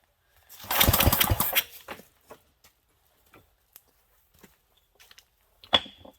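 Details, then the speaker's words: 1967 Briggs and Stratton 6 hp engine: one short rattling pull-start burst that dies without catching; ran on spray but acts like not getting fuel, owner suspects stuck float needle — cranks but won't start. "because it's it's acting like it's still not getting fuel up obviously it went on the little shot of spray there so maybe our needle stuck"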